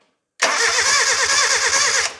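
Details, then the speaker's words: Nissan 910 Bluebird wagon engine, fuel confirmed: starter spins briskly and evenly under two seconds with no firing; spark test shows nothing. Crank, no start, no spark. "Nothing, dead. Okay, let's trace it back. Starting at the coils, what have we got?"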